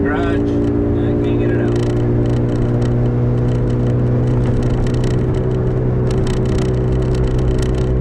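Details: 2005 Toyota Matrix AWD, camera in back while driving: steady low airplane-like howl under road noise at constant speed; owner suspects a rear wheel bearing, unsure whether driver or passenger side, both previously replaced; unconfirmed.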